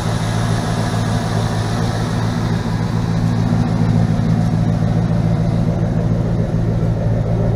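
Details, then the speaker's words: 1977 GMC Sierra K25 with a swapped 2002 Silverado 5.3L V8, 2.5-inch pipes and what are apparently Flowmaster Super 10s, driven about 3 months without issues, idling and lightly revved: deep, even exhaust burble with a clean rev; healthy. "Okay. Runs really well. No issues with it at all. I've been driving it now for probably about 3 months at least. It runs really good."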